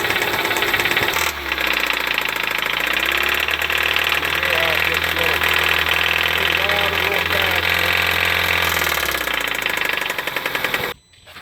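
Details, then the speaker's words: 2014 Kia Soul 2.0L GDI petrol engine revving: rapid metallic knocking that gets louder with acceleration, source unknown before engine teardown. "but it's making a lot of noise I don't know exactly where it's coming from but we're going to get it out and we're gonna chair Park find out and as you accelerate it just it gets even a little bit worse"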